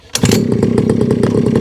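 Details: Small single-cylinder Rebo quad bike ATV, rescued from a recycling centre, running with the choke turned off: fast steady popping with even beats and no misses or rattles; runs properly and is quite pokey.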